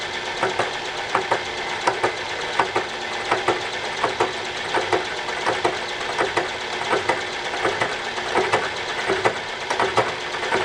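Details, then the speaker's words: Regular sharp ticks about once per spindle turn over a steady cutting hiss, interrupted but not crunchy, as the tool cuts 20 thousandths into an out-of-round, welded bore of a wood chipper flywheel, hitting spots between the welds. "Sounds interrupted, but it doesn't sound so crunchy. I'm actually hitting the spots between where the welds are right now."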